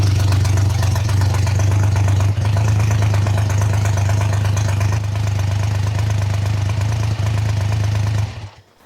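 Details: Triumph T150 Trident first start after rebuild, choke open, anti-drain valve removed, tick-over being set: steady low rumble at fast idle, even beat, no knock or clatter, until shut off; carb fuel connections dripping.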